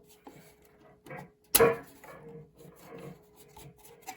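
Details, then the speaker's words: BSR McDonald Mini Changer record player; faint steady motor hum, then loud sharp clack and scraping as speed selector (16/33/45/78) is turned, mechanism moving oddly freely; changer noisy, cause unknown. "The only thing with this one is it sounds kind of noisy already. It may need new AV cables."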